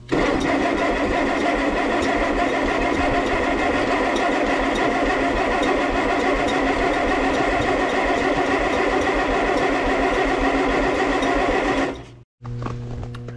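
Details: 1957 Allis Chalmers B series tractor, sat for years in snow, no fuel added yet: long steady starter churning, three or four turns a second, never catches and cuts off abruptly; bad solenoid suspected, not confirmed.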